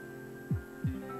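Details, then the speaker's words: 15-year-old APC UPS after repair of no-power fault, switched to battery backup mode; steady even mains-frequency inverter hum with a couple of soft thumps on switchover, running normally. "so guys finally this UPS is fixed so let's turn it on and give it a test it's turned on now it's testing let go into the UPS mode turn on so the UPS is all pretty good is UPS mode backup"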